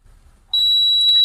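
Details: Andromeda Evolution tour bus that won't start, MR showing only dashes on the instrument panel and temperature not read: ignition switched on, a sharp high buzzer comes on abruptly at one steady pitch; dash warning buzzer, cause not pinned down.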